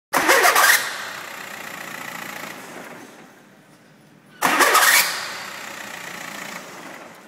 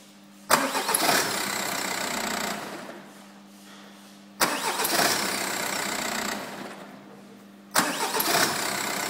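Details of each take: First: VW diesel car, two starts each ending in a sharp high screech as the starter disengages from the flywheel; cause a mounting bolt with stripped housing threads leaving the starter loose, brushes also badly worn. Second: VW diesel car starter motor after repair (stripped mounting bolt threads repaired, worn brushes replaced): three clean crank bursts of two to four seconds each, no disengagement screech.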